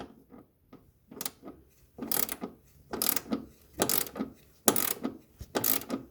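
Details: 2016 Toyota Tarago engine bay noise: uneven bursts of sharp ratcheting clicks about once a second over a faint running engine; mechanical clicking whose source is not pinned down.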